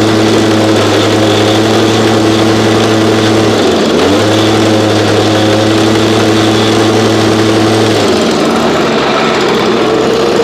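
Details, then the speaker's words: Backup two-stroke unit that sat about 8–12 months, cold start around 30°F on ethanol-free fuel without stabilizer: buzzy drone sags, nearly stalls, recovers unevenly then cuts out; rough running, owner hears blown bearings and suspected a carb issue. "okay so runs pretty rough honestly this is why i don't use this unit here"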